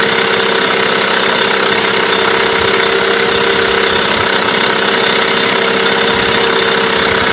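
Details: Mercury 8HP two-stroke outboard, bought used after sitting unknown time, started after a couple of pulls in a water tub after carb cleaner; steady even idle, constant buzzy note, no misses; healthy normal idle.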